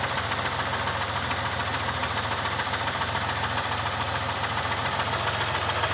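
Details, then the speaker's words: 3100 engine at idle, recorded from outside the car: steady light knocking about three and a half per second over an even idle, rising with engine speed and fading above a certain rpm; present for years; knock versus lifter tick uncertain. "to me sounds like a knock but I never have dealt with a lifter tick before"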